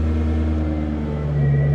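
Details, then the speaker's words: Jaguar XK8 battery test: strong, steady cranking about 1046 ms before the engine catches and settles; voltage dropped only to 10.96 V while cranking. Normal cranking, battery good. "is cranking time 1046 milliseconds which is just over a second and a voltage whilst cranking went down to 10.96 that's saying good"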